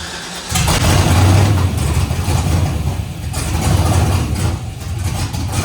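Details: LS-swapped Nissan D21 Hardbody, after swapping mixed-up unlabeled cam/MAP sensor connectors: V8 catches quickly, blips, then settles into fairly steady rumbling idle without misfire; runs properly now.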